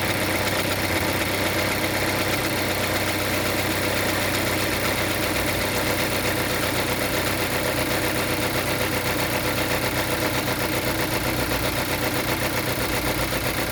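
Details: Geely Coolray at idle: a rapid extra ticking, about four per second, over the engine hum. Abnormal engine noise; the source is unknown.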